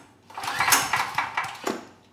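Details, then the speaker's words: Neglected outdoor-stored PowerStroke generator with rusted tank and mud in carburetor, fuel and ignition on: recoil pulls whirring and clattering with no firing; cranks but will not start, later runs on starting fluid. "yeah we got absolutely no signs of life so i'm going to pull the air box cover off give it a bit of starting fluid and see if it comes to life"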